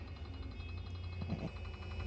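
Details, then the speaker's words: Raymond Reach 7400 series truck, intermittent G4 code, steer motor and main harness previously replaced; keyed on with deadman pedal pressed, faint rapid chatter over electrical hum as steer motor pulses clockwise and counterclockwise: normal. "so when the chattering from the steer motor that's normal it's mean to say that the motor is going uh clockwise counterclockwise basing it from the command from the VM right to move counterclockwise and clockwise just a bit"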